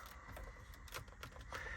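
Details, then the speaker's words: Hyundai Elantra N interior: irregular dry clicks and creaks as the dash is pressed, from the vent and trim strip rubbing together, the source of the dash/screen creak; fixed by stuffing folded non-adhesive material into the tight gap. "It's this whole vent in this strip, which is kind of a pain in the ass, but you just got to find the trouble spots."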